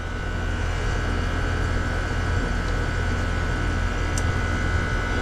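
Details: Goodman heat pump, newly replaced R-410A compressor: steady, even low hum with constant mid-pitched tone, no knocks or rattles; running smoothly. Charged 146 oz (nameplate 140), head 258, suction 150, 3° subcooling and superheat, 78°F outside.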